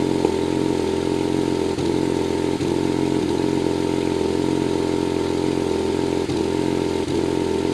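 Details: BMW 135i at idle: steady idle broken every second or two by an uneven stumble, a misfire that does not set a DTC.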